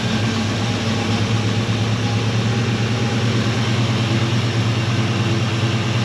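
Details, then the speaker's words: 1964 Chevelle V8 with Holley carb after fixing a fuel delivery problem: deep, steady idle burble with oil pressure, even and unbroken, no misses or knocks; normal idle. "okay well it sounds right idling decent we got oil"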